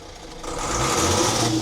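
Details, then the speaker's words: Volvo Penta TAMD 71B marine diesel, stood 10 years in a partially sunk abandoned boat, first run, throttle punched from idle: revs climb quickly and cleanly to the top and hold, no knocking or stumbling; smoke blown out, healthy throttle response. "I go back to idle now. I'm going to give it a punch."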